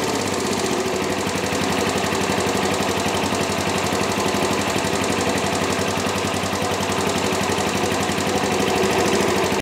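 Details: Chinese GY6 scooter after fixing its no-spark fault, started with covers still off: quick, even single-cylinder putter holding a steady beat; running cleanly at normal idle.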